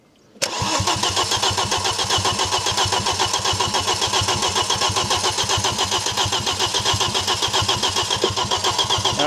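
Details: Barn-find Audi RS2 315bhp 5-cylinder, left for years in an orchard (mouldy air filter, mice in airbox): starter cranks evenly about four beats a second with no firing at all; no ignition trigger signal, wiring found rubbed bare.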